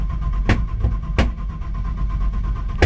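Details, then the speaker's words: Nissan Patrol with LS1 V8 swap, first start in freezing weather after sitting a while, fuel pump primed: sharp loud bangs, three in about three seconds, breaking through a rough low rumble as it tries to catch; backfiring on starting, owner wondered if low on fuel. "Couple of backfires. Turn it off. Prime it again. Hasn't been started for a while, so."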